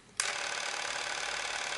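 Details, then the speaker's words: Sankyo EM-60 XL Super 8 cine camera drive running at 18 frames per second: a click at start, then a steady, even high whirring buzz with no hitches; runs normally. "so here it is here's the um on 18 frames per second so what you're going to listen to is 18 frames per second so let's play through that"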